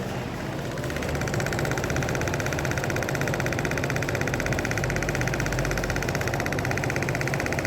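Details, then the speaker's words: Purge valve solenoid, bench-tested at 30% duty via the active test on a bidirectional scan tool, on a vehicle that cranks but won't start after fuel fill-ups: steady, even clicking about four per second over a low hum, actuating normally. "We should hear it actuating now. There you go."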